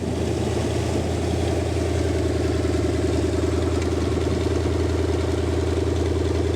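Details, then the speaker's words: Rebuilt show-quality Lincoln 368 Y-block V8 on an engine run stand, not yet fully warm, 70 psi oil, just above 1000 rpm: steady even rumble, no knocks, ticks or misses — normal idle. "you you I hope everybody got a pretty good perspective of how well this motor runs it is ready to be dropped in its a show-quality motor"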